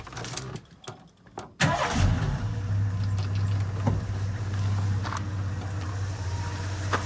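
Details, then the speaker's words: 1985 Ford Bronco, 4.9L 300ci inline six converted to Motorcraft 2100 two-barrel carburettor, after test drive: after some rattling it catches at once and settles into steady, smooth fast idle; healthy cold start. "go ahead and fire it up for you can hear what it sounds like it does fire right up which is nice i mean it always has"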